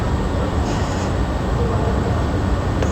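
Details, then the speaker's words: 2019 GMC that had a P0300 misfire code and rough idle. Idles steady and even, with no cylinder misfiring on live data even when revved, though the check engine light is still on. "गाड़ी हमारी start है और 00 है कोई भी यानी के cylinder square नहीं कर रहा है गाड़ी को मैंने रेस भी दी है तो कोई भी सिलेंडर में इस बार नहीं कर रहा हूं"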